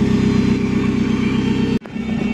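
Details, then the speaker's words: Commer van with Saab 2.3 turbo engine, on the road about 1.5–2 years, replacement electric fuel pump: loud steady constant-pitch droning whine over the engine, then a sudden cut; horrendous noisy fuel pump whine, the reason for the work. "right I just got the camera and the reason I'm doing some work to it is that horrendous wine it is the fuel pump"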